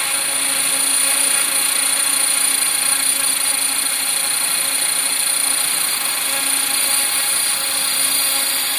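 High, steady whine from the motor and rotors with a rough buzzing edge while hovering; vibration present, source not pinned down.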